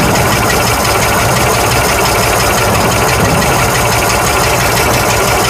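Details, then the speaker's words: 1965 Ford F100 240 six after carburetor replacement, oil change and radiator top-off: smooth, even idle with steady low rumble, no knocks, misses or hunting; normal idle. "I wonder if I should idle it up just a wee bit more I don't know how much it was hopefully a week okay let's fire it again cuz I like to hear it run"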